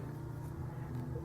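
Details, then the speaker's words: Logitech Z213 2.1 PC speakers turned all the way up, fed from a laptop headphone jack; low steady buzz, ground noise from the laptop output, gone when unplugged or fed from a smartphone. "That was due to, I guess, the poor headphone jack on the laptop I have these plugged into, because when I unplug them from the headphone jack, I hear no buzz in the speaker."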